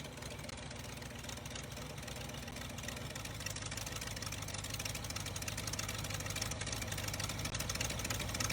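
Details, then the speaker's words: 1977 Jeep CJ5 AMC V8 idling unevenly with irregular stumbling and shifting note while timing is checked; leakage everywhere and carburetor judged bad, new carburetor to be sourced; engine otherwise quiet, charging, with oil pressure. "where do we want the timing oh this carburetor is just bad sounds good though yeah the carburetor's garbage"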